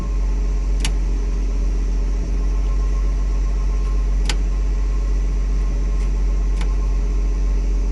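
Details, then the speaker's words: 1959 Chevrolet Bel Air being troubleshot for lighting, turn signal and charging faults, with the right turn signal lever held on. Sharp flasher clicks come at uneven intervals of roughly two to three seconds over a low hum; the turn signal flasher is clicking. "there it is that's the right turn signal going right now and I'm holding"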